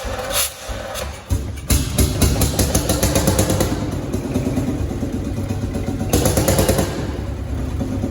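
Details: Field Marshall Series 3A on its first start after a rebore and oversize piston, fitted after a piston ring snapped, likely from bore pitting. Slow, heavy beats catch and settle to a steady idle of about three a second, with music over it; normal start and idle.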